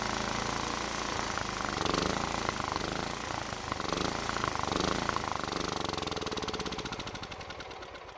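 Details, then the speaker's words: Toro walk-behind mower that wouldn't start and backfired through carb; fuel line disconnected from carb and tank draining stale gas, runs smoothly on residual bowl fuel after priming, then slows and stalls from fuel starvation. "I was kind of surprised to see that it was still running after I stopped putting fuel in it."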